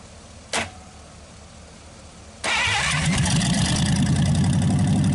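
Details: Packard 374 cu in V8 restarted during repeated warm-up and cool-down cycles burning off oil after carburetor cleaning: fires after a couple of seconds, settles to even idle, no skipping or noise, smoke nearly gone. Normal idle.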